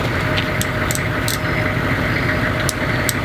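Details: Diesel bus conversion on its first start, coolant light off: even idle with a steady low rumble, no misses or knocks, a few light clicks nearby; engine sounds healthy.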